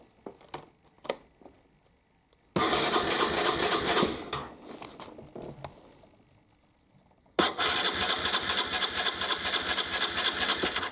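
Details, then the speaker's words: 1998 Aprilia Leonardo 125 scooter, long sat outside, new battery, carburetor cleaned: two long bursts of even cranking with no firing. No fuel pump is heard and the owner suspects an empty tank. Cranks but won't start. "I don't hear no fuel pump"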